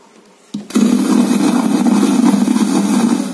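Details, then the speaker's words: Polytron XBR active speaker with volume not working, power-on with speaker sockets disconnected; loud steady crackling roar and low rumble persists, so the fault is in the power amplifier. "dan jika dalam keadaan seperti ini kita hidupkan masih tetap ke merosok berarti amplifiernya atau bagian power amplinya yang rusak"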